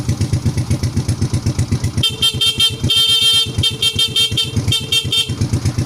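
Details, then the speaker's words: Motorcycle horn wired to run clear without a battery, using a capacitor (elko) to positive, tested over a putting idle: bright, steady tone in clean pulses that sounds clear and strong; normal horn sound. "Oke ya, sangat jernih ya."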